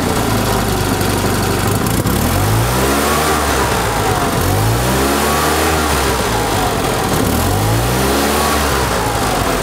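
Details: 1974 Fiat 500 small air-cooled engine, ignition timing set to the 7.5° before TDC mark: blips up and drops back cleanly several times, rising smoothly without stumbling or popping; normal revving.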